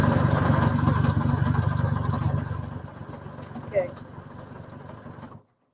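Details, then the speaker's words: Brother HC3010 sewing machine stitching through thick layers: rapid, even low knocking of the needle drive at about four beats a second, with an occasional louder thump as it labours with the thickness. "Every now and again, you get a louder noise because it's not dealing with the thickness very well."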